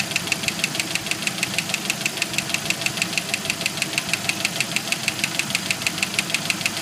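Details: 1991 Jeep YJ 2.5L at idle: sharp, regular metallic knock about three per second that stops around five seconds in, then gradually returns. Owner first suspected a loose rocker arm; now believes broken piston skirt and failed lifters on cylinders 2 and 4.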